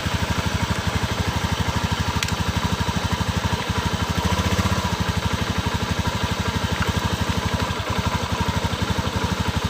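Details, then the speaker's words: Honda Beat PGM-FI scooter sprayed with water: idle turns uneven and choppy with crackling, then stumbles and cuts out and is hard to restart; runs normally when dry. "ternyata ada cenderung ada bunyi kretek-kretek the ia bahkan motor hidupnya susah tuh"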